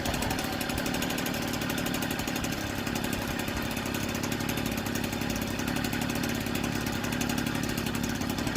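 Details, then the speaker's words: 1964 NSU Quickly S23 3-speed moped, first start after engine rebuild, crankshaft parts oiled so some smoke expected: rapid crackly two-stroke putter with even beat, no knocks or misses; running healthily. "That's a nice start. Very proud of me. This is my first 3-speed engine rebuild. And it's popping like a Swiss."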